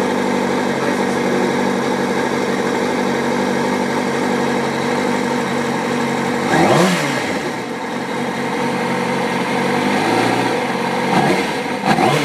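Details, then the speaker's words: 2005 Kawasaki ZX-6R 636cc, 7,219 miles, Muzzy full exhaust, Power Commander, nearly warmed up after cold start, in neutral: steady even idle then two quick clean revs rising and falling smoothly, no knocks or misses; healthy. "sounds like it just about warmed up see it's running really smooth no issues"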